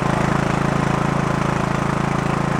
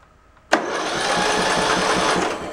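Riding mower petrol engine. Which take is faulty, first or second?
second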